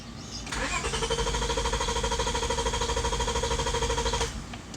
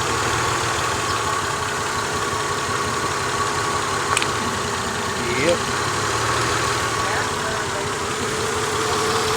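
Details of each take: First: 2000 Honda Accord V6 with a misfire (plugs already changed), cranked with the fuel pump fuse pulled; steady, even cranking whir with no lopsided beats, showing no compression loss on any cylinder; misfire codes on cylinders 1, 3, 4, 5 and 6. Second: 2000 Honda Accord V6 with a flashing check engine light, new spark plugs fitted: uneven, loping idle with a missing beat; unplugging each coil shows cylinder 3 dead, from a failed ignition coil.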